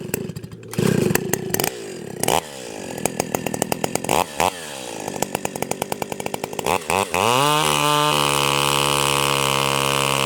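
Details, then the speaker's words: Stihl 028 AVEQ chainsaw in a log, high-speed screw turned out about half to three-quarters of a turn: it burbles and four-strokes through most of the cut, cleaning up slightly; high-speed mixture is too rich and may foul the plug. "it stayed in that blurble four stroking kind of sound the hole pretty much the whole cut it kind of cleaned up a little bit as it was going through there but that is that's too rich"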